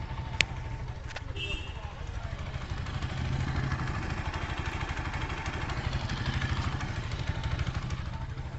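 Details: Apache RTR 160 4V single-cylinder bike after repair of a loud engine noise, mic near the engine: low, fairly even idle with no sharp valve clatter; the earlier loud rattling is gone and it sounds healthy.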